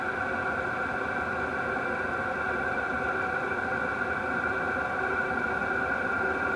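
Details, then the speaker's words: Wippro 8kW all-in-one diesel heater from Temu, fired up and hot: steady even whir with constant fan tone, no surging or popping, ticking noticeably quieter than at start-up; burning and running normally. "that's nice and hot working great and the ticking is definitely quieted down it's way more quiet than my uh Pelican case one I bu"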